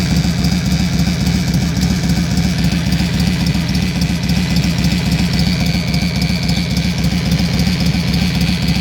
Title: Yamaha xv1600 wildstar/roadstar bad engine sound